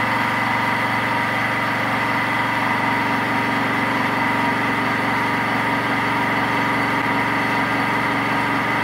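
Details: Mini metal milling machine with 1 HP servo motor upgrade and toothed L050 synchronous belt drive, 3-inch fly cutter taking a single pass on 2-inch-wide 6061 aluminum: even whir with steady cutter chatter holding pitch, spindle not slowing under load.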